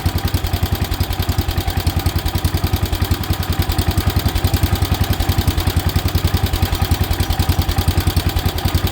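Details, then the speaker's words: 1977 Wheel Horse B-100 single-cylinder tractor, started two days after carb work: uneven chugging that starts to run rough. "It's going to do it. Here it's starting to run rough."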